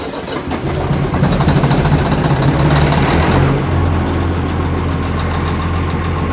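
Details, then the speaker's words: Semi truck's first fire-up after engine repair, with extra fuel pressure added: it cranks, primes right up and catches quickly, unusually so for this truck, then settles into a steady, even low diesel idle with no misses or knocks. "dang that thing just primed right up it ain't ever done that that's awesome"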